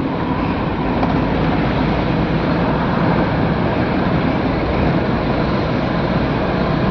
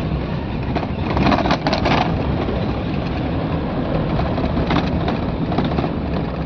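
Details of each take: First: 2013 Mahindra Xylo D2 diesel, DTC P0117 coolant temperature sensor, check light on, temperature light flashing, gauge not rising: steady road drone then abrupt drop as engine dies while driving. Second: 2013 Mahindra Xylo D2 diesel after replacing faulty coolant temperature sensor coupler (DTC P0117): steady, even road drone over bumps with no stumbles, surges, cut-outs or warning lights; normal running.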